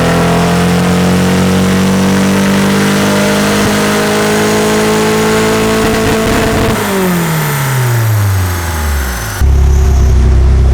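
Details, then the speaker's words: Turbo Nissan S14 (KA engine) on the dyno under boost: pulls hard on a steady rising drone, then the note turns ragged and stutters near the top; ignition breaking up. "Alright, so it's breaking up a decent amount."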